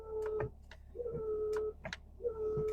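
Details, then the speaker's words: Truck camper windshield washer: thin steady whine in sub-second bursts with clicks between; pump runs and fluid level is full, but spray only spits; owner suspects clogged nozzles, not confirmed. "spitting. And I checked the levels and it was full. I don't know. Maybe they just clog up."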